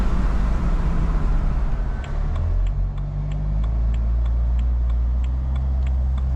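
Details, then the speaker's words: BMW N54 after 6-speed automatic to DCT swap, first drive: low drone builds pulling away slowly with fast light rattling chatter; driveline shudder, owner suspects flywheel chatter or possibly wheels, unconfirmed. "[Music] ah can hear that flywheel shutter chatter whatever it is"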